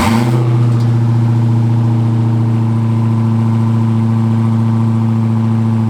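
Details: Wrecked Hellcat being rebuilt, cold start (not fully cold, started only once before): a strong, even low rumble that settles right after catching, with no misses or stumble. Healthy V8; normal cold start idle.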